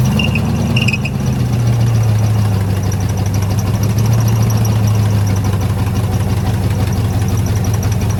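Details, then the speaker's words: 1972 Ford F100 sat for decades, previously locked engine, first start with key on: loud low idle wavering and stumbling, barely holding idle; owner suspects a small vacuum leak. "Now that the key's on, it runs. It idles. It doesn't run. Idles. Got a little vacuum leak somewhere still."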